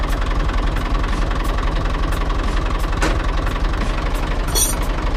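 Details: Tractor starting after its battery cable connections were cleaned to bare copper and tightened: even, strong rhythmic cranking pulses, about three to four per second, turning into a steady run. It cranks briskly and starts fine.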